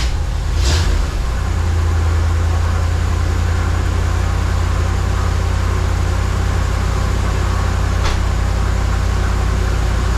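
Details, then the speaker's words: 1979 Suburban V8 after new dual exhaust, tune-up and plug wires refitted to cure a miss, just started before warm-up: low, steady, even rumbling idle with no stumble or skip; idles smoothly now. "sounds better getting any smoke out of that pipe so let it warm up a little bit"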